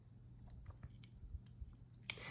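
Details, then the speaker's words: DPx Gear Hest/F 3.0 Decade titanium frame-lock knife with M390 blade, held close to the mic; faint gritty grinding between blade and pivot as the blade closes, ending in a snap, like sand inside, before disassembly and cleaning. "it sounds like there is and I don't think there is sand but it sounds like there is a a grinding um between the blade and the pivot it sounds like there's a little sand or something in there"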